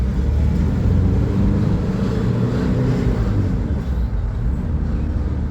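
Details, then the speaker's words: Nissan Navara 2.5-litre diesel, manual, 226,000 km, untreated, driven flat out to about 3,000 rpm: deep rough rattly drone that never builds power; suspected carbon-blocked intake needing a decarbon, not confirmed. "And one in the shop, 2.5 litre. Listen to it. Rattling."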